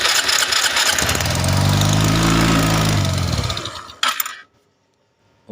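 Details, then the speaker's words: Suzuki Skydrive 125cc scooter after lower-engine oil-flow repair, carb not yet adjusted, auto choke raising idle: quick even buzz at high choke idle, climbs and settles smoothly, no knock or rattle; normal running. "karena ini sistemnya auto chuk jadi setelan gasnya atau ketika baru hidup gasnya gede sendiri ya"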